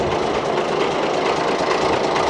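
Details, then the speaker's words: 47-year-old Ford FW30 articulated tractor diesel, after costly engine work, not first start: steady even clatter, no misses or knocks, clean firing, much better than before; normal diesel running. "Listen to that. That's so much better. So much better. Yeah, she definitely ready for a bit of work again now."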